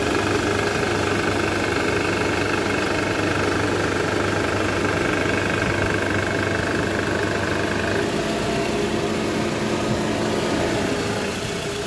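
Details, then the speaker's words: Toyota Alphard, 90,000 km, original balancer shaft, idling in R: dull, uneven knock about three or four times a second as vibration in the engine area; worn or loose balancer shaft suspected, to be confirmed by removal. "ya cukup indikasi kemungkinan besar yang menyebabkan bunyi abnormal tersebut itu dari balancer sasaknya yang udah aus bisa oblak bisa hancur"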